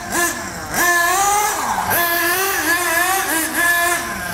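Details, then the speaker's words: Nitro RC buggy engine after leaning the low-speed needle: quick rising throttle blips that drop cleanly back to a steady idle, RPM slightly raised but car not creeping; normal idle after low-speed tune. "notice the engine RPM raised a little bit but it's not creeping forward okay I can spin the wheels engine climbs a bit dies down"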